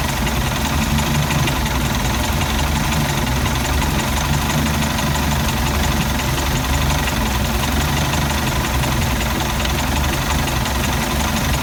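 Loud idle that never settles, with a shaky, irregular low thump running through it; this engine is idling rough.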